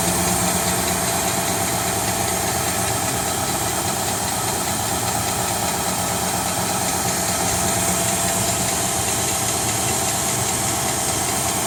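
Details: 2017 Nissan Titan SV engine at steady idle with a faint, fairly quick ticking of about a hundred ticks a minute; clicking noise, cause not yet identified.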